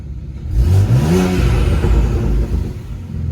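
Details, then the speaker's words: 2008 BMW 335i E90, N54 turbo engine, full bolt-ons, seven earlier check engine codes; after replacing the crankshaft position sensor it catches quickly, flares, then drops to a smooth steady idle with no misfire or check engine light. "got her starting no check engine light yet"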